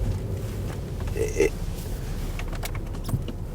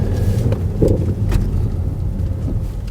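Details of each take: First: Older BMW X5 backing up. Over a low drone, a thin whine rises with road speed and appears instantly in reverse; seller says the gearbox functions fine. Reverse whine, driveline source unconfirmed. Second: Used BMW X5 driving forward: low road rumble and wind buffeting with no whine; a siren-like bearing-type whine is reported only in reverse, possibly gearbox.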